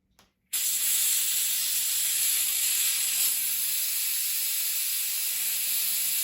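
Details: Hatsan Blitz air rifle just filled to 3000 PSI from scuba tank, bleeding fill line: loud continuous high hiss starting abruptly and never stopping; fill valve not seating, leaking air, later fixed by cycling/rapping the valve.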